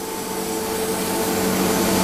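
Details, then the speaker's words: Milesto espresso machine, hot, steam knob shut tight: steady constant hiss as steam keeps pouring out and dripping past the closed knob while the pump draws water; steam valve/knob leaking. "Hai kalau ini posisinya udah panas ini posisinya uap jadi kayak ada bocoran-bocoran uap nah kelihatan kan tuh kayak wap padahal ini posisi tertutupnya harusnya segini namun deres banget uapnya"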